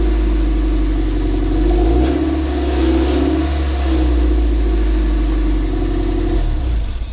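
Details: 2000 Toyota MR2 ZZW30 1.8 VVTi 140 hp with exhaust manifolds replaced about two years earlier, warm at fast idle: a steady idle with a light pumping tick on top. Exhaust manifold gasket leaking exhaust gas.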